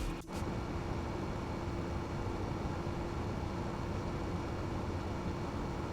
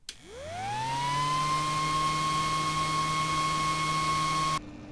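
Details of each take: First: T-8280 preheating plate after replacing its whining 40mm fan with a Noctua NF-A6x25 5V 60mm fan, set to 33°C: steady even fan whoosh and soft hum with no whine. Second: T-8280 IR preheating plate stock 40 mm 12 V cooling fan on bench supply at rated voltage, mic in front: spins up to a steady piercing whine near 1 kHz, obnoxiously noisy fan before replacement with a 5 V Noctua.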